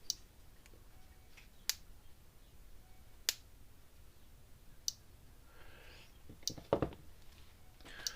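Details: Gallagher S20/S50 electric fence energizer after a transformer replacement, now putting out about 9,000–10,000 V: sharp single clicks about every 1.5 seconds, evenly spaced, pulsing normally at full output.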